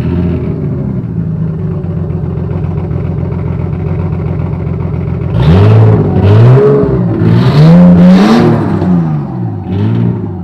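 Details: Nissan S13 with a stock RB25 inline-six on ARP studs: it idles with an uneven, lumpy pulse before several quick throttle blips. The cause of the rough idle is still unknown.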